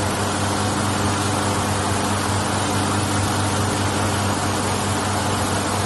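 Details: 1983 Ford Ranger 4x4, carbureted, first start after years sitting, battery put in, carb primed: smooth steady idle, even low drone, no knocks, misses or surging; runs healthy.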